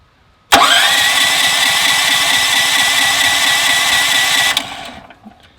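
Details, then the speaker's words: Westinghouse WH7000EC 7000 W gasoline generator converted to natural gas with a US Carburetion type C kit: electric starter whirs about four seconds without firing because the regulator wasn't primed and no gas was in the system; priming lets it start. "All right, we probably need to prime our regulator. The prime back here. What that does is it lets gas into the system, because the way you shut this off is you turn off the gas supply, so there's no gas in the system."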